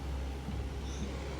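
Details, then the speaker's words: Outdoor AC condensing unit: only a steady low fan hum, the compressor tries to start but never kicks in; fan runs, compressor not starting, capacitor suspected. "only the fan is running. The compressor is not running. So when you listen to this unit you hear a noise like the compressor will try to will try to start but it will not start."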